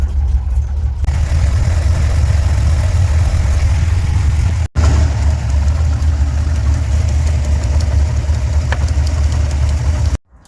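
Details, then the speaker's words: Drag race car at a gas station, idle running rich at about 11.5–12 air-fuel: deep, heavy, lumpy idle sitting low and loping, near stalling; it later stalls at every stop, ignition suspected. Low idle. "I'm gonna give it a little bit more idle too. I think it's a little bit lower on the idle than what I'd really like."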